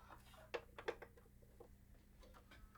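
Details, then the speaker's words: Bose 3-disc CD changer, repaired for a disc error, at its normal power-up: quiet, irregular light clicks at a few per second over a low hum as the arm mechanisms self-check each drive. "right, so right now it's doing the normal startup. Please wait, and we're going to hear a bunch of clicking. That's just the arm mechanisms doing a self-check on each of the drives."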